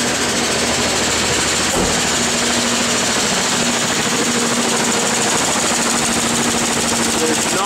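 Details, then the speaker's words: 1988 Ford Bronco II 2.9L: rough, uneven, shaking idle with a stumbling misfire and clatter, plus power loss and high fuel use. Traced to low fuel pressure and an arcing plug wire. "and it sounds terrible it'll pop down in a minute"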